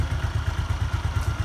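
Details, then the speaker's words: Used Suzuki Skywave 125 scooter at idle: crisp, even low thump at a steady quick beat with no knocks or rattles; engine judged healthy and normal. "dengerin dengan sesama bunyi mesinnya masih terkesan garing dan Langsa menyapu normal segini"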